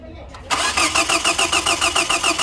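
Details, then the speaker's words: Hyundai that cranks but won't start: starter cranks briskly and evenly at about five turns per second but never fires. Crankshaft sensor signal is present but there is no spark. Crank, no start. "The crankshaft is bringing signal, but there is no spark. No spark. So this is crank no spark."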